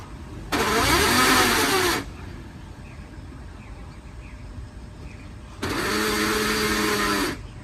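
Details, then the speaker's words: Toyota Land Cruiser Prado off-roading after a hard climb: two loud harsh grinding bursts of about 1.5 s each. Reverse is fine but forward gears lose power, though it later drove up normally; differential ring or planetary gears suspected broken, unconfirmed. "一般情况下不会有这种声音的。那估计就是牙包少了，就是大盘齿、行星齿啊，齿轮打烂了。"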